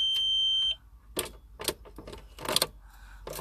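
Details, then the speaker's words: Van after earlier spinning weird noise from starter, power wire reconnected after cooling down: short warning beep on ignition then only faint clicks, no crank at all; owner suspects starter motor needs replacing. "so get back in the band Jenny ignition hand nothing doesn't spin it does nothing"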